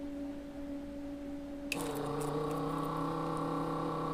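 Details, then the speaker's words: Desoldering pump on a Peavey Studio Pro 112 amp repair (replacing the clean volume pot): after warming up, a small pump buzzes in with a strained note and weak suction, sounding blocked; sucks better on retry. "And it sounds like it's blocked."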